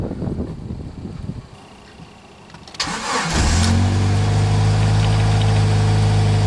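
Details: Son's Jeep Cherokee with intermittent no-spark no-start, no trouble codes stored, after battery had gone dead: short crank catches within a second and settles to steady even idle; starts now, cause unknown, possibly ECM.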